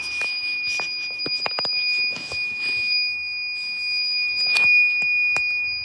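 A thin high-pitched electronic tone sounds steadily throughout a quiet room, with odd clicks around it; the source is unknown.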